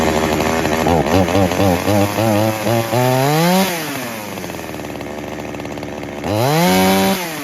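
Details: Traded-in chainsaw with a broken, loose handle and blown vibration dampener bushing, started on choke with primer: catches and blips up cleanly, pitch follows the throttle, then settles to a steady idle. Its on-off switch is disconnected. Normal running.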